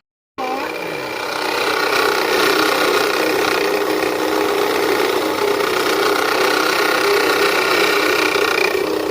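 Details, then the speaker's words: Nissan Teana at idle, heard from inside the cabin and then at the front of the engine: a harsh scraping sizzle-rasp. Alternator belt removed and the alternator pulley inspected as the source. Alternator pulley noise. "坐在车里面应该能听到那种滋啦滋啦的声音了吧？这个就是大家经常在网络上面说的异响。"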